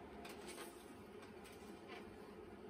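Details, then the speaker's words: External CMS hard drive for a non-working Macintosh Plus (said to have a Brainstorm accelerator), powered through a system cooler before the Mac is switched on: quiet, steady high-pitched whine with a few soft ticks coming up to speed; normal spin-up. "all right hard drive spinning up sounds like it's ready let's fire up the plus itself"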